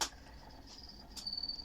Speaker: Он мне не нравится мне эта работа вот чуть-чуть он поработает понятно что перестаёт это свист но в любой прекрасный момент это может меня подвести